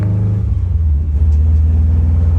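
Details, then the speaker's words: Car driven for the first time in two years after an engine swap with a blow-off valve: a smooth, even low rumble with no knocks or misses under light throttle. A knock sensor code is pending rewiring; otherwise the engine sounds good. "but she's driving she sounds good"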